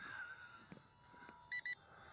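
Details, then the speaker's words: Two quick high-pitched beeps from the LSRC XD1 beginner drone's controller, a telemetry warning that the flight battery is low. "So, okay, hear that beeping? That's the telemetry warning. We have telemetry in this of low battery, and that's good too."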